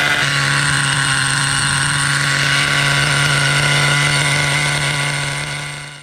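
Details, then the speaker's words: Vintage Schumacher Menace 21 nitro RC truck, just started, running on nitro fuel: steady fast buzzing idle that won't settle, carburettor idle set a little high; idle set screw then lowered and idle settled. "running great and loud it's got the linkages here all right the carb is a little on the high side I'm gonna have to lower the idle a little bit"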